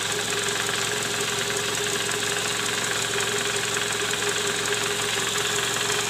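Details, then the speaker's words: Toyota Camry 2JZ engine, 148,000 km, rough-running complaint, heard from below: steady idle with a hard, rapid knock near three per second, loudest at the oil pan; worn balancer shaft bearing, likely from improper installation with under-torqued bolts. "nah disini terdengar bunyi keras terutama di bagian Karter oli mesin"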